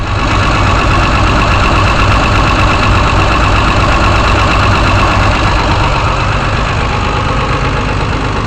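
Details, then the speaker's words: Car engine labelled "164", started on choke after sitting several days, very dirty fuel filter: steady, even idle with a firm low exhaust pulse and no knocking. Owner hears a possible slight miss from the resonator. Normal idle. "Might be a little bit of a miss, you can hear coming out of the resonator, but not bad really. I mean, this car will run a few hundred miles, shouldn't be a problem."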